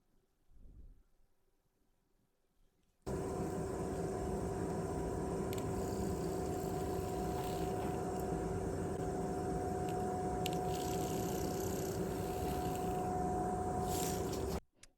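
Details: PS3 DualShock 3 (VX8) small rumble motor, removed from the board and bench-tested: a steady buzzing whir with a loose, rattly edge. It sounds worn compared with the more solid replacement and is the faulty motor.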